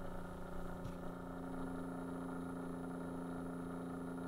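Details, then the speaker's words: Keurig coffee maker that has failed, microphone tipped toward the quiet pump: faint steady low hum with no pulsing or flow, the pump turning extremely slowly and no water pouring. "that's the pump that's turning extremely slow compared to the other ones it should be pouring water right now right nothing"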